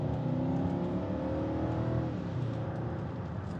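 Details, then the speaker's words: BMW X6, road test at part to quarter throttle, up to about 3500 rpm: smooth, even note climbing steadily, no misfire, knock or flat spot; normal acceleration, no check engine light. "feels great guys I don't know if we made it this far before this feels really good"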